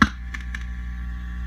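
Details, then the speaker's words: Fender Custom Shop '57 Twin tube amp, harsh and noisy when overdriven: a tap on a preamp tube gives two brief crackles over steady hum, showing microphonic preamp tubes; two preamp tubes were bad. "as you can hear the crackling it's definitely coming from the preamp section"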